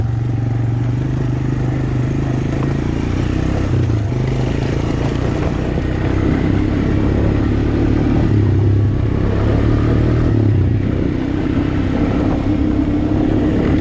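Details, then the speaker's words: Honda Recon ATV on test run after freeing frozen rear brakes and oil change: steady, strong engine note with no knocking or misses, pulling evenly with speed; normal running. "it's running great actually kind of surprised how good it runs"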